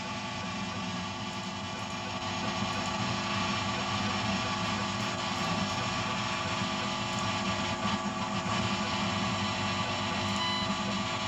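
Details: Dense electrical buzz with steady tones and faint chirps in audio recorded through a FireWire soundcard; caused by the monitor's power sharing the circuit with the audio/amplification gear, a ground-loop buzz with chirping interference.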